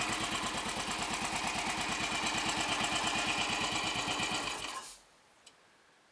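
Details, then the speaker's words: Royal Enfield Bullet 500 single after head gasket replacement, exhaust-pipe blow at the cylinder head fixed, baffle removed and carb needle raised: even, steady thump at a relaxed idle, no misses or rattles, then shut off cleanly; normal idle. "and that sounds good I'm happy with that"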